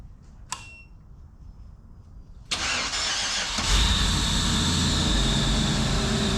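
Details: Tickle Pickle, a custom rat-rod Jeep, first start after major engine repairs with the coolant system not yet bled: it cranks briefly, catches and settles straight into a steady, even idle with no knock or miss.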